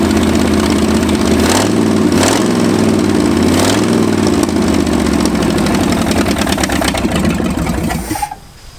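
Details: 1965 Ford F250 abandoned 26 years, after new spark plugs: it runs with an uneven, loping beat and wavering revs before shutting off; still rough, with ignition timing suspected next.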